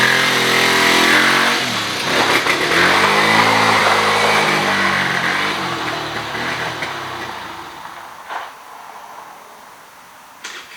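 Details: 2013 Kawasaki KFX 50 quad being tuned: small engine revs unevenly with ragged, wavering pitch, then drops off and dies away; still running rough, fuelling not sorted.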